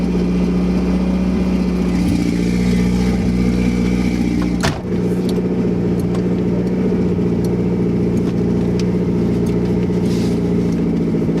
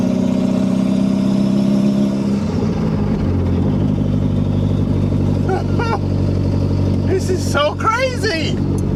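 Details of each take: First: 2nd-gen Toyota MR2 with JDM 3S-GTE turbo swap, first drive after fixing vacuum and boost leaks, recorded from inside the loud car: strong constant drone with the idle held well above normal; high idle. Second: Toyota MR2 Turbo, 3S-GTE swap, driving with only the turbo downpipe and no muffler, idle high, after boost and vacuum leaks were fixed: a loud, raw exhaust drone that climbs and settles smoothly with throttle, no misfire; running right.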